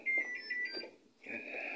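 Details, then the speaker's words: Panasonic 8 kg top-load automatic washer during spin dry after repair of a lodged object causing continuous draining. Repeated short high beeps while the lid is open, with no error code shown; normal door-open warning beep. "So, yan, kapag naka-open yung pinto, nag-error siya. Tumutunog lang, pero wala siyang error code. Tunog lang."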